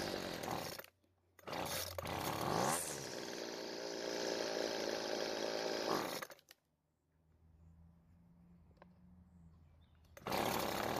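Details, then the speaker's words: Weed Eater two-stroke trimmer that starts and runs but dies when the throttle is squeezed, before carburetor adjustment. Screams briefly, then falls away to a weak sputter instead of holding revs. Stalls under throttle; fuel starvation suspected. "the most likely reason for this trimmer to start and run but die is that it's starved for fuel when the throttle is squeezed so that everyone's on the same page let's start it up and see if this problem is the same one you're having"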